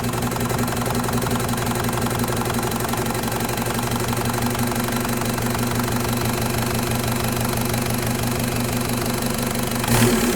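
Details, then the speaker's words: Mk1 VW with M-TDI swap and Bosch VE pump, after setting the fuel screw and refitting the lever stack: steady, even diesel clatter at a slow idle of about three beats per second, sitting a little low; idle slightly low. "Um, should be darn close to what I just had. it. But a little bit low for idle."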